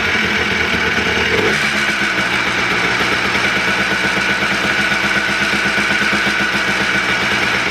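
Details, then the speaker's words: Freshly rebuilt two-stroke Blaster on its heat cycle, with the idle mixture/air screw left far too high. A loud idle with a ragged, wandering beat won't settle. It runs rough from the misadjusted idle screw. "um it was idling kind of rough and i noticed that i didn't put the idle mixture screw now um where it was supposed to be at it was like really high up um so it wasn't sounding good"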